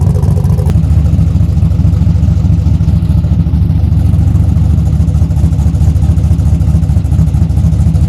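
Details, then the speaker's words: Junkyard-rescued old Buick Skylark idling after reconnecting the battery, possibly low on gas: deep, even low rumble holding steady with no knocks, misses or rattles; normal idle. "Sounds good, man."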